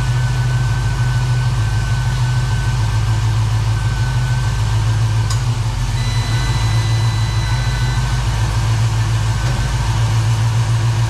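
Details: 1969 Chevrolet Camaro V8 after AC system replacement, idling during freon charge (about 18 psi low side, 140 high): deep steady idle with even compressor drone, no knocks or squeals.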